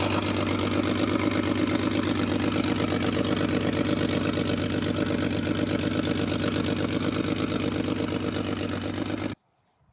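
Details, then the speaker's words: 1980 Datsun 280ZX 2+2, one owner, 300,000 miles, bought non-running and started after a fuel pump relay was fitted: steady idle with a crisp, even puffing tick about three per second over the exhaust note, a slight exhaust leak. "as you can hear it has a slight exhaust leak"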